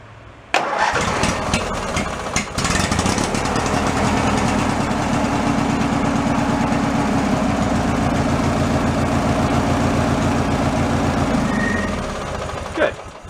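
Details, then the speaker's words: Free derelict Craftsman riding mower engine restarted after engine tins refitted, fuel line still due for replacement: catches after a brief crank and settles into a steady, even idle putter, no misses or knocks; normal start and idle. "we got the engine tins all back on it boils in should fire right up"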